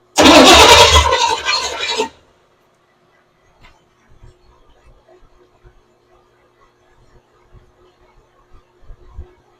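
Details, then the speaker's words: 1982 Chevy pickup with new fuel system, throttle worked at carburetor: about two seconds of fast starter cranking with no firing, then silence; cranks but won't start, fuel pump not pumping fuel. "Well, fuel pump's not pumping. shoes are not pumping or nothing."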